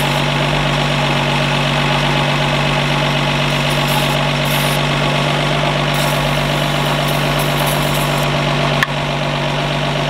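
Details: 1952 Ford F1 truck just revived, solenoid jumped, positive ground, generator suspected not charging: steady even idle with smooth low drone, no knocks or misses, running cleanly.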